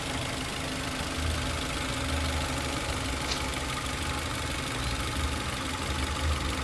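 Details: 2011 Toyota Avanza S at idle: uneven, lumpy idle with irregular low thumps and a rattly top end; engine runs rough, cause suspected but not confirmed.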